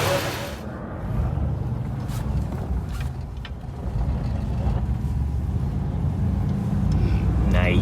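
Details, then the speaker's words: 1964 Buick Electra V8 after intake manifold core plug replacement and silicone cleanup: low soft idle with steady lope, no puffing or ticking from the manifold; no more exhaust leak at bottom of intake manifold. "no more exhaust leak at the bottom of the manifold good job knucklehead"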